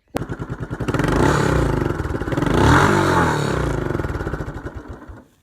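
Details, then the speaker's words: Old Murray lawn mower, single-cylinder, revived after over 5 years unused: chugs and revs, then uneven popping and dies as the tank runs out of gas; fuel starvation sputter. "If you were wondering what the popping was at the end, it's because the tank's out of gas."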